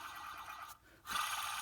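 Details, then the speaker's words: 2000 Ford Mustang GT: rough, gritty whirring as an old belt pulley bearing, removed during a water pump job, is spun by hand. It is near failure and possibly the noise heard on cold starts. "that's a noisy one that might be that noise we hear sometimes when we start out cold yep that was on his last legs"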